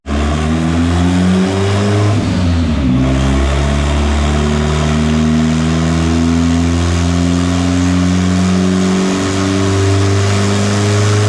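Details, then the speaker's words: Honda with a cheap $120 internet turbo on a dyno after fuel trim tuning, about 230 hp and 161 torque: a strong note climbing cleanly and hardening near the top with no misses; a healthy full-throttle pull. "that sounded like a run right there boys holy crap yeah that's the run we're looking for"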